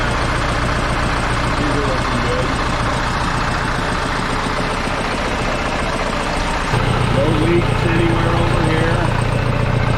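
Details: Case 188D diesel tractor just after a full engine rebuild and injection pump refit, throttle worked by hand while warming up: steady, even diesel idle with a low thrum and a small step up in speed midway; normal idle.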